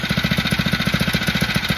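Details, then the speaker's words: Phatmoto motorbike with carburetor and idle problems, restarted with the choke about 1/8 open: an even, steady popping with no hunting or speed wander, a smooth normal idle; once warm it no longer needs choke. "now this time I am getting a nice and smooth Salon the engine he not searching dropping going higher nothing as you can hear it looking pretty good"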